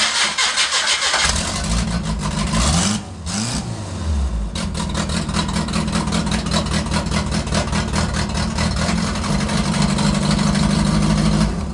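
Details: Demolition derby car with newly wired electric fuel pump on toggle switch, started in neutral after priming: brief crank, clean catch, steady even idle with no knocks or misses; normal start.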